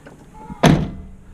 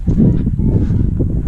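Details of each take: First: Chevy square body truck door after replacing the striker bolt bushings: closed with one finger from full open on a slight incline, a single soft, solid thunk latching cleanly, no rattle; quieter, healthy latch. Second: Chevy square body truck door, fully latched, rocked: a few dull clunks as it shifts on the striker pin because the bushing is missing.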